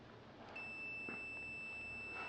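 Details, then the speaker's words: Non-inverter refrigerator defrost fuse (near cooling-chamber heater) tested with multimeter on continuity: clean steady high beep, fuse is good. "இதுவும் நல்லா இருக்குது. Okay, பர்ஃபெக்டாக இருக்குது."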